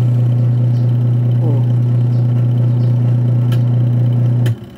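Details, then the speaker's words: Washing machine with the timer on: the wash motor hums loudly and steadily while the pulsator stays stopped, then power cuts off. Motor pulley slipping on the belt. "Umaandar yung motor. Pero nakahinto yung pulsator."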